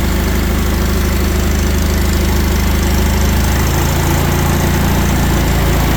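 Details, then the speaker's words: Old Allis Chalmers tractor, a barn find stored for 20+ years, firing up on choke and ignition after the motor was cleaned out; steady, even low chugging at slow idle with no misses or knocks, running smoothly despite a hydraulic leak. "But hey, she fires up. That's amazing."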